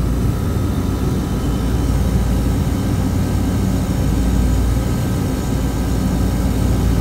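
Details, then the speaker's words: Beer walk-in refrigeration compressor pumping down, should cut out around 30 PSI: steady deep drone with no break or cutoff, starting to bypass; faulty pressure control won't shut the compressor off. "pressure control is not working that's what's wrong pressure control is bad and it's been running and trying to shut down and it can't"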